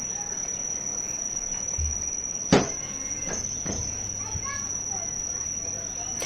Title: why is my ac fan making noise | ac making loud noise inside unit | splitac making noice